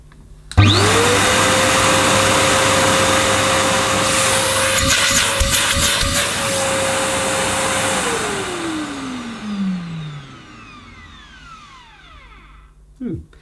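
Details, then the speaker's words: Millenea Apollo 1 egg-shaped metal-bodied vacuum cleaner: motor spins up fast to a steady, smooth whine, not too noisy, like a Henry motor in metal casing, then winds down cleanly when switched off; healthy motor. "It's hard for you to judge the sound through your speakers and via my microphone, but it's not too noisy. It's not whisper quiet. It's a bit like, it's probably what a Henry motor would sound like if it was in an all-metal casing, perhaps."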